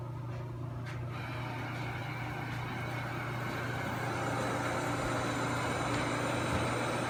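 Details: Ionvac SmartClean 2000 robot vacuum (model 7687), cleaning paper mess after starting from the dock: steady low hum with even whir, no knocks or grinding; running normally.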